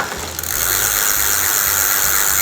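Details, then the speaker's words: Simple bicycle rear freewheel with plain ball bearings and no seals, under pedal pressure: fast, dense, rough gritty ratcheting tek-tek chatter with vibration; pawls or bearing to be checked. "ta mulai berikan tekanan ada noise noise ada suara tek tek tek tek gitu ya teman-teman"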